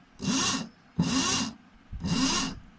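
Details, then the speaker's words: Royal Enfield Thunderbird (AVL engine) starter motor, removed and bench-tested on a 12V battery after repair (originally spun but lacked torque to start): three short even whirring bursts, spins freely without grinding; normal starter spin. "ये मोटर घूम रही है।"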